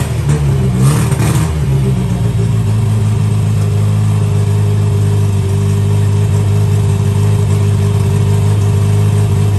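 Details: 1963 Austin Healey Sprite 1098, first start in almost a year with the Weber swapped for an SU, new spark plugs, and ignition timing turned back after popping on cranking: steady, even low drone with no popping or misfire; normal running after start.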